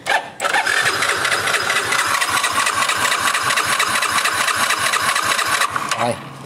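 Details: Nozza Fi scooter with intermittent stalling while riding; the fuel pump was checked. A quick start catches at once and settles into an even, steady idle with no misses or stumbles.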